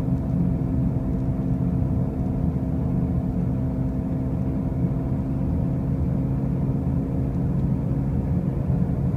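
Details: 2005 Pontiac Grand Prix, with brand-new wheel bearings and new tires, making a steady loud low drone at road speed; cause unknown.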